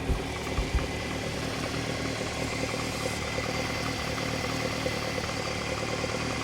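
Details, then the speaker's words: Unrestored original Lotus Elite after new spark plugs and carb tuning, reading 4.5 on all 4 cylinders: smooth even idle at 1100 rpm with no spitting, popping or misses; normal idle. "So basically I've got a reading now on this of 4.5 on all 4 cylinders, and that sounds nice and sweet. I've got it idling at 1100, which, you know, for the sports engine it's probably about right, but correct me if I'm wrong."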